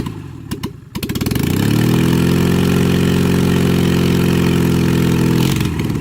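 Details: Rebuilt LADA RX engine, possibly 1.8L with a new camshaft, running with no exhaust, just the manifold. Only one of three fitted spark plugs is connected and one plug is out. It catches after a few turns into an uneven, lumpy chuff with an open-manifold bark; it still needs valve, carb and ignition adjustment.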